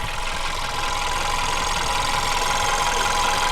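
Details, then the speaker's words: VW Beetle engine idling after roller cam follower replacement: faint, fairly quick tapping persists; owner suspects the fuel pump next. "So unfortunately we've replaced the cam follower and we've still got the noise. So it now means that we may have to replace the fuel pump."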